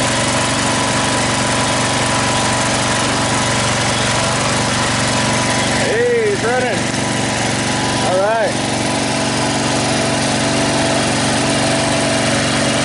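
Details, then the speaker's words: Snapper 38-inch scrap riding mower just started; single-cylinder holds a steady, even buzzing idle, no knocks or misses; carburetor fuel leak blamed on broken-off fuel shutoff, replacement planned. Normal running. "so it was running wasn't leaking"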